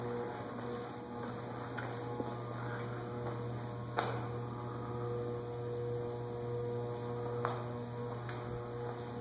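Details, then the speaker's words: Lasko (and Sears/Emerson) ceiling fan, believed 16-pole motor, at medium speed on a variable speed control: steady low electrical buzz, worse in the Lasko than the Emersons. "I believe are 16 pole Motors and don't do well on variable speed controls"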